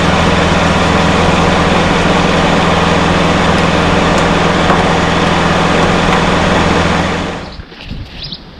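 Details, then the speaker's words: Honda EU30iS generator, GX200 single-cylinder rebuilt with new rings, reset timing and readjusted valve clearances: pull-started, settles into a steady, even run with no ticking or knocking, no smoke, then cuts off; normal running. "let's see if you can start with it starts with the pull handle no smoke run smooth"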